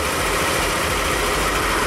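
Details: 2021 Yamaha XMax 125 (Blue Core) that failed at 11,000 km, warming up after start: a steady, even idle with a smooth hum and no knocks or misses; a small coolant leak was seen, possibly from a porous casing.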